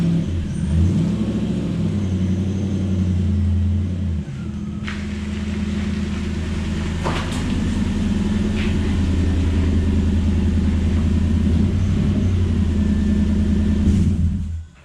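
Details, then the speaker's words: Toyota 1UZ V8 in a Ford Falcon with newly finished glass-pack exhaust: deep steady idle burble, even firing, no ticks or knocks; normal exhaust rumble. "So I think the car sounds a million times better. It has that low rumble that I was wanting,"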